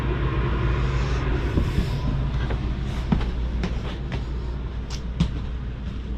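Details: 2022 Jayco Jay Flight Bungalow 40LOFT, second rooftop AC switched on from master bedroom wall thermostat: constant low hum with steady fan rush, no rattles, squeals or cycling; running normally.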